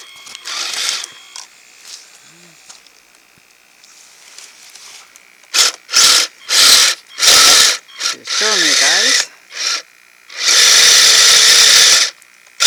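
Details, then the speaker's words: Kyosho Blizzard FR RC snow vehicle in fresh snow: short bursts of high motor whine with a rough ratcheting buzz as snow-packed tracks rub the body; track stretched, and the chain is possibly running slack. "guys oh it's rubbing the body that's what that noise is the body is rubbing but why is it running why is it rubbing oh yes I'm really built up"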